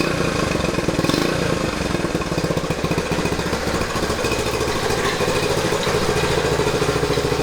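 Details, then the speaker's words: 1970 Honda Trail 90, first start after about 20 years in storage, with the contaminated tank and carburetor cleaned, choke off: small single settles into a steady, even idle with crisp regular firing and no knocking; may burn a little oil. "I'm happy with that though. You happy with that? Oh yeah. Couldn't really ask for better than that."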